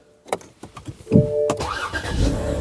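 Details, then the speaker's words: High-mileage 2011 BMW 328i xDrive, after fixing no-crank no-start and clearing fault codes: short starter whir, engine catches straight away and settles; quick clean start. "Starts right up. The starter sounds awesome."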